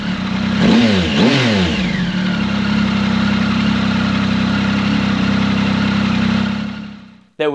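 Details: Triumph Tiger 1050 Sport after replacing its cracked downpipe with a new Lextek RP1 full exhaust, baffle left in: catches, revs twice, then holds a steady, even idle with a faint exhaust buzz; engine sounds healthy.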